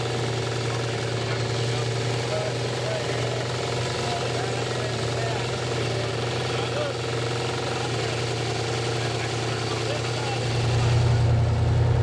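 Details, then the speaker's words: Freshly built Pontiac 455 with flat-tappet cam at first start/break-in: rapid even knock, three or four a second, under deep idle; crew suspects the windage tray hitting the bottom end, possibly running on seven cylinders, bearings doubted given oil pressure; unconfirmed. "we're hearing something really fast hitting something and the only thing I can think of is how close that witness tray was if we needed to when the pan push but it sounds like it's the bottom man"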